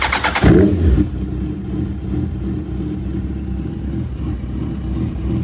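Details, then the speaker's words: Suzuki Hayabusa that had sat for months, idling rough with a misfire, after fuel filter replacement, injector seal fix and replacing a dead injector: throttle blip then even, steady idle with no miss; normal running. "I wanted to show you the first start up and show you it's perfect, but it was far from perfect. But I can show you now. It's not the first startup anymore."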